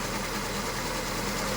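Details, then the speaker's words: Honda Civic FD, R18A engine, rebuilt with several sensors replaced, shaking at idle: lumpy uneven idle with irregular low thump, unchanged when coil plugs pulled; cylinders 3 and 4 dead, no ignition power reaching those coils. "ครับยังเหมือนเดิมนะครับแสดงว่าไฟไม่จ่ายมาที่คอย2ขั้วนี้นะครับ"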